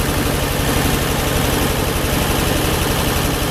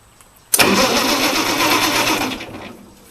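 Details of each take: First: Ford 8N tractor with rewired harness and one-wire alternator, about a quart low on oil, runs at a steady, even low idle with a firm regular beat and no misses or knocks; normal idle. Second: Ford 8N-type tractor with six-cylinder flathead Ford truck engine, after battery replacement; starter spins engine evenly for about two seconds but it never catches – crank no start, gas tank completely dry.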